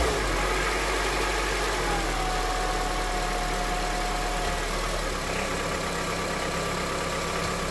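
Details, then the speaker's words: Honda CR-V at 200,000 km, warm idle on first start after switching to thicker 10W-40 oil (old filter kept): faint, slightly uneven tick near four per second; knock unchanged by thicker oil, source unclear. "Ну что я могу сказать эксперимент удался и не удался короче на более густом масле ничего не происходит всё тоже самое стучит так"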